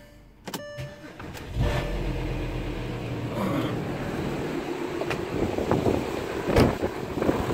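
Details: VW Touareg after replacing the noisy air-conditioning compressor and pulley: quick start, then a quiet, smooth, even idle with no whine or rattle from the front of the engine; the noise is gone.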